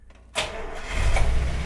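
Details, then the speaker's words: 1948 Buick Roadmaster Model 79 with 320 cu in OHV inline eight, restart test: short crank, then it catches instantly and settles into a smooth, steady idle; a healthy quick restart. "oh my god you hear how fast that started that's ridiculous okay we're in business here"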